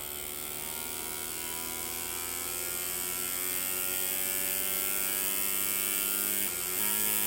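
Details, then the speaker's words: Bissell 3-in-1 vacuum foot brush roll motor (RS-380SH-19156RBPY, 18 V) run on a variable supply: thin wavering whine that steps down and roughens as it cuts out, with a burning-electronics smell; factory misground brushes, owner also suspects worn bearings from belt tension. "hear that it's wanting to cut out now there it goes you can always tell when it cuts out and then you get this big old whiff of burning Electronics"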